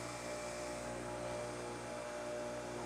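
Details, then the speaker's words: Bench grinder with a Falcon data collector and accelerometer, four-run balance, weights moved to 0 degrees: steady even hum with no wobble or beat, feels smooth; reading about .16 in/sec, near balanced. "Just for grins, we're trying it at zero. Hm. Feels pretty smooth."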